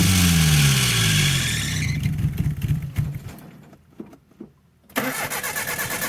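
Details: 1984 Nissan/Datsun 720, Z24 four-cylinder, first start after about 20 years sitting, fed poured-in fuel, with a belt slipping: catches and revs briefly, then sags and sputters, nearly quits and picks up; stumbling and dying, cause unconfirmed.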